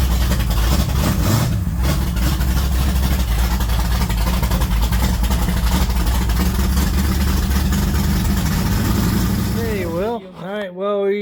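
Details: Pontiac GTO race car after switching to Evans Waterless Coolant, run up to temperature then shut down: loud steady deep rumble with lumpy race-cam beat held evenly until shutdown; runs healthy, no knocks or misses.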